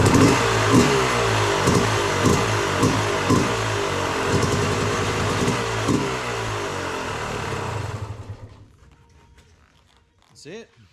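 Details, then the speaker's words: Yamaha YZ250 two-stroke, first start outside after a fresh top end with a new Pro X piston, replaced after 74 hours: crisp crackle revving in quick, even blips for about eight seconds, then shut off; runs clean and healthy. "i just had it outside um kicked it over got it going fire it up now"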